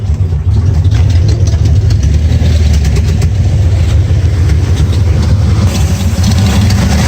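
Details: 1994 Dodge Ram 5.9L V8 showing codes 37 and 51 at a loud, lumpy, uneven idle with occasional sharp backfire pops; the cause proved to be a faulty crankshaft position sensor, and replacing it restored normal running.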